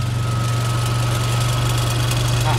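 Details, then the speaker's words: Honda Civic turbo engine at steady idle after the owner was late with oil changes and oil reached the turbo: a faint thin "krik krik" chirp over the engine; turbo sounds unhealthy and starting to fail, suspected, not confirmed. "untuk Turbo sendiri yang tampaknya kurang sehat itu seperti ini ada bunyi krik krik krik coba didengar ya mudah-mudahan bisa terdengar"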